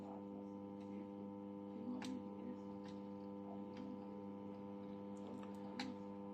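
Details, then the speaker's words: Valve (tube) radio under repair: only a steady low mains hum from the speaker; tuning the variable capacitor and touching the antenna bring in no station, just faint handling clicks. "能听到交流声。我把这小音箱往这边点，就能听见了，是不是？那我们从这个音箱中能听到交流声，是不是？"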